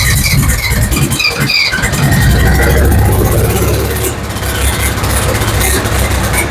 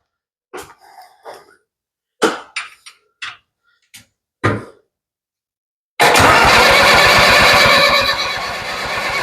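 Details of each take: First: Ford 7000 diesel tractor, first run after a timing fix following a failed no-start: low, uneven diesel clatter catches and keeps running rough but steady, with heavy exhaust smoke indoors; normal running after start. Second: Ford 7000 diesel tractor, cranking with all injector line bleeders open to purge air, closed one at a time; a few knocks, then steady rapid cranking catching unevenly; stumble from air in injector lines.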